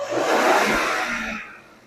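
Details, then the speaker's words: 2018 Infiniti Q50 after timing chain job with new guides, tensioners and sprocket: clean rev winding down smoothly with no rattle or slap from the engine front; previously loud chain noise on revving, now gone. "Sounds great. Actually, there's no more noise. Uh, well, we're going to rev it up just to make sure a little bit because before when we revved up, that's when the noise started coming. Sounds very good."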